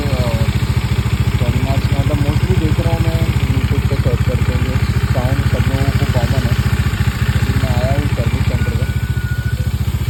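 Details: Bajaj Dominar 400 (2019) at idle after recent work: steady single idle with a regular tapping beat about three to four per second over the thump; abnormal engine noise, cause unknown.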